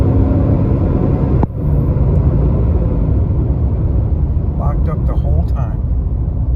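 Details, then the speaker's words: 2022 Nissan Titan driving with the viscous fan clutch stuck locked through all gears and RPMs: constant deep whooshing roar like a jet swamps the exhaust; under warranty, the dealer could not reproduce it. "stuck it the entire time that's what I'm talking about here we go listen the fan is locked up the entire time it's still locked up that's all fan noise got to be proof"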